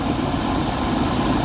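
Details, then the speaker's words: Dometic roof A/C installed about six months earlier on a 2005 Travel Supreme RV: steady loud blower roar with dull hum and uneven scraping; loose, off-center blower wheel (squirrel cage) rubbing its plastic housing. "all right so you guys should be able to hear that horrible noise that's the fan rubbing on the plastic here"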